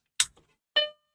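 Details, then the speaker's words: Macintosh 128 upgraded to Mac Plus, previously stuck in a chiming loop with no display, powered on after installing self-flashed replacement ROMs: click then a single clean startup chime, no loop; normal startup. "that sounds better doesn't it that was a dong but we got no image"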